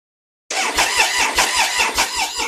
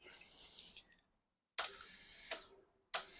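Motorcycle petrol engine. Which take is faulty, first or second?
first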